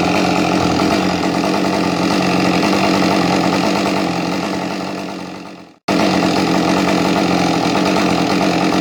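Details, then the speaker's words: Husqvarna 550 chainsaw that runs well upright but shuts off when turned on its side: it idles evenly, then the revs sag and it dies before restarting. The owner suspects a bad radial seal drawing air or the switch. "it's got this funny problem where when you start it up, it runs beautifully, but if you turn it on its side, it just shuts off."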